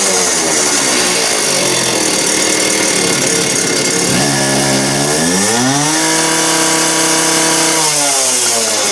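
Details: Just-rebuilt two-stroke cut-off (quick cut) saw on its test run: it starts crisp, revs smoothly to a steady high scream and holds there evenly; runs clean and healthy.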